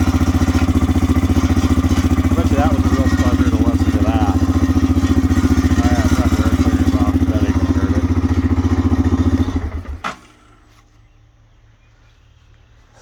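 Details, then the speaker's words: CF Moto CForce 500 auction ATV; steady, even idle with a smooth beat and no knocking or misses until shut off; normal idle. "yeah it don't sound bad"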